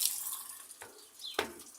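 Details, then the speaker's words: Maytag Atlantis washer filling on a super cycle, mini water level, warm or cold water: light splashing and trickling into the tub, no valve hum or strain; normal fill. The machine doesn't wash: agitator weak, loud on spin. "entonces vamos a esperar que llene para que empiece a lavar"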